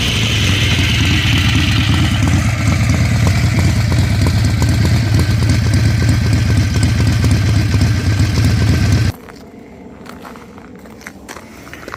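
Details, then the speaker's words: Harley-Davidson Ironhead Sportster after ignition repair and timing checked with a timing light, after a short ride: lumpy, even V-twin idle with a steady loping beat for about nine seconds before shutoff; runs great, nothing wrong heard. "so I'm back at the shop and this thing runs great I just finished riding it around"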